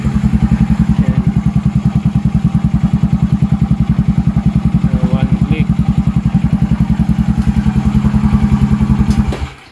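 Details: Yamaha Mio Sporty, 59 all-stock setup with stock carb (main jet 120, slow jet 38, air screw 2.5 turns), cold: single-cylinder putter at a steady, even beat of about 3.5 firings a second, then shut off; clean healthy cold idle.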